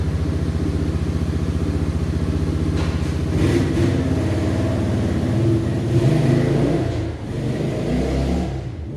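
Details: 1989 Yamaha Moto4 200cc quad after new timing chain, refitted with old carburetor and old throttle cable: single cylinder pulls cleanly, building revs smoothly at full throttle, no misses, knocks or rattles; healthy.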